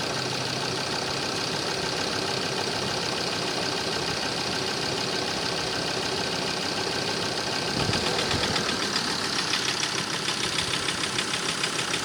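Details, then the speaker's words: Ford Transit at idle after driving 25 km: sharp knocking at roughly 200 a minute that grows harsher after a blip and fades when cylinder 3 is disconnected; owner suspects a dead or over-fuelling injector causing detonation; knock at idle. "Вот, а это проехал 25 километров. Вот такой звук появился теперь на холостых. Короче. Отключаю третий. И стук как бы убирается."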